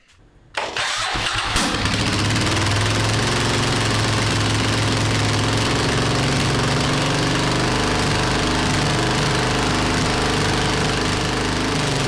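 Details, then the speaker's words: 37-year-old Suzuki Intruder 1400, first start in over five years after carbs were rebuilt and primed: engine catches after a short crank and holds a loud, fast idle that never settles; high idle after start, cause unconfirmed. "Um, I did achieve my task. The engine did fire up. Um, it was quite loud and the it was revving very high"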